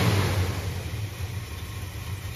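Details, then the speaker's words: 1976 Dodge Dart Swinger with 340 V8, right after vacuum advance was rerouted and small tweaks: deep, even rumble settling after a throttle blip, no miss, knock or tick; healthy, sweet-running engine. "does it sound so good now just stupid little stuff dude listen to this thing this is a good engine wow"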